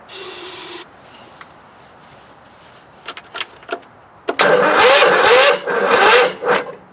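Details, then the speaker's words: Scott's lawn tractor with newly swapped-in Kohler CV16S engine, first start attempt on starting fluid: slow, labouring, uneven crank with no catch; owner suspects weak battery needing a charge. "Sounds like my battery's getting weak, but it's cranking."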